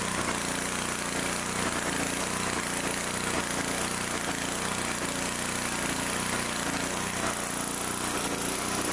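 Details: Small twin-cylinder fixed-speed engine (cannot be throttled) after reassembly. It had run on one cylinder because an air-filter base bolt vibrated out and was sucked into the carburetor. Now a steady, even run with no misfire or stumble; both cylinders firing normally.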